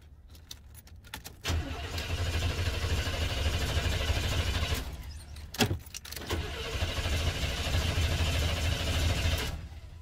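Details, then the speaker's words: 1992 Cadillac Fleetwood Brougham d'Elegance with a 350 V8; short crank catches quickly and settles into a deep, even idle with no knocks or misses, then shuts off; normal start and idle. "yeah that thing started up baby"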